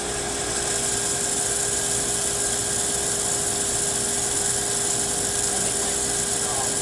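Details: Pool booster pump motor running with a steady fixed-pitch whine over a hissy rush; owner suspects the pump is the noise source, cause unclear.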